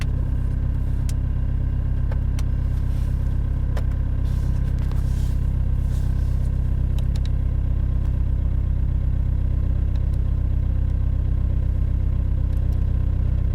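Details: BMW E46 320d Touring diesel, cold start at 0°C: steady, even diesel clatter at cold idle with no misses or stumbles, settling and running cleanly, a normal cold idle.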